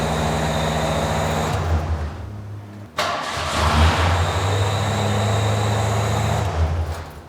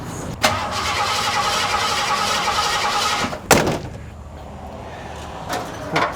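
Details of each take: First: 1986 Ford F-150 that had no spark, just fitted with an MSD distributor, coil and wires. It catches on the second try after a brief crank, stumbles once, then settles into a steady, even low rumble; normal start and idle. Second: 1986 Ford F-150: starter spins about three seconds, engine never catches; fuel confirmed present, spark tester shows no spark, ignition module PIP wire checked next; crank no start, no spark.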